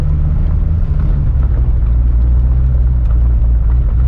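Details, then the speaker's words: Corvette with newly rebuilt LS3 V8 at idle on first start after install, a few warning lights on, coolant temperature a little hot with coolant level low; deep steady even rumble, no knocks or ticks, normal idle. "i got a few lights on but the car is idling nice cooling temperature is a little bit hot"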